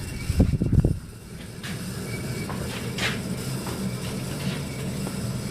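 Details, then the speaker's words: 1983 Casablanca Zephyr ceiling fan, converted to 3-speed: worn motor bearings chatter with a rough, fluttering low rumble as speed increases through medium to high. "That's good. And the fan's good, runs good, except for the bearings, which you will hear in as I increase the speed."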